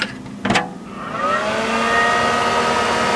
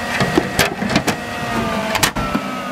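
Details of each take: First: Mid 2003 dual-processor Power Mac G5 running with the internal air shroud removed: fans spool up after a click, rising to a loud steady whoosh with a whine on top. Fans ramp up loudly without the shroud. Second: Mid 2003 dual-processor Power Mac G5 with the internal air shroud put back in: fan whine eases down in pitch over a few seconds amid handling clunks, with airflow returning to normal idle speed.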